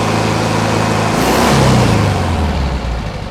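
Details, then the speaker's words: 1971 VW bus, air-cooled engine, back running after sitting 2+ years, fresh tune-up with new carb, plugs, wires and valves adjusted; choke now off, a little warm: steady even idle, smooth rev rise and fall, no knocks or misses, healthy. "that's all they off the choke so judge idle sounds good engine sounds happy"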